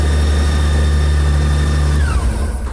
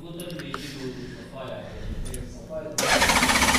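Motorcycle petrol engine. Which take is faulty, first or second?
second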